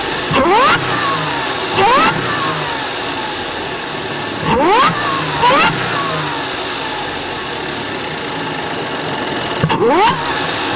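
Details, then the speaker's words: Audi Q5 3.0 TFSI supercharged engine, after K&N air filter upgrade and welded snapped catalytic converter: sharp throttle blips every few seconds with rising supercharger whistle falling away cleanly; normal, healthy free revving. "because we upgraded the air filter. Makes nice noises now."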